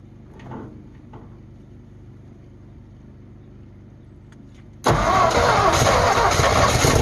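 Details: 1948 Ford F5 bus abandoned 25 years: slow cranking about three and a half turns a second, then catches into a loud, uneven, smoky run; owner says it needs a tune-up, carburetor rebuild and throttle linkage hooked up. Rough running after long storage.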